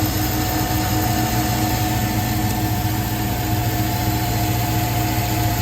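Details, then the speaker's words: 2003 Chevy Suburban V8 idling: thin, steady squeak over the low engine rumble from a worn belt tensioner pulley bearing. With the belt off, the tensioner pulley spun rough while the idler pulley was fine. Tensioner pulley replaced. "so we've got a tensioner noise hear that squeaking"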